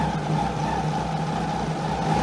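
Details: 2001 Kawasaki ZX12R barn find stored about 20 years, first start on fresh fuel: steady, even running with a smooth, constant hum and no knocks or misses; engine running cleanly.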